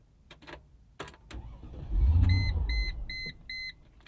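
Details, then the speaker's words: 2000 Mercedes-Benz ML55 AMG, long-running fault, struggles to start: a few clicks, engine catches briefly and dies within a second while the door chime beeps; won't stay running. Owner suspects a part disconnected under the hood. "it dies again try it one more time just immediately dies"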